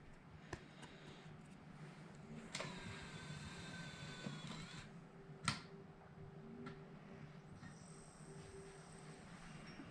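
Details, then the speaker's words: Untested second-hand Nintendo Wii reading a game disc: quiet room, then a soft whir spins up for a couple of seconds with light clicks and settles; disc read normally. "boom it reads the disc I'll see if it'll start it"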